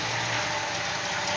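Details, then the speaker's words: 1963 Chevrolet Impala SS V8: steady airy hiss at idle from small passenger-side exhaust leak, probably just the gasket, nothing thought cracked. "you can hear it hissing a little bit probably just the gasket I don't think anything's cracked"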